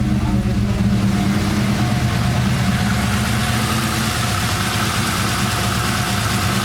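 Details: 1999 Holden R8 Clubsport, Gen III LS1 V8, about 250,000 on the odometer, first start after a cam swap, no warning lights: loud, lumpy idle with an uneven chop that settles slightly as it warms; healthy big-cam idle.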